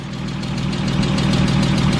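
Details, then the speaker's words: 2005 Porsche 987 Boxster S, unknown mileage, sat about 3 years, idling midway through a 5-minute engine flush run while warming up. Earlier noise nearly gone; steady idle with light, quick, even ticking judged normal injector noise. "I think this is almost injector noise. This is normal. Yeah, this could be normal what's left."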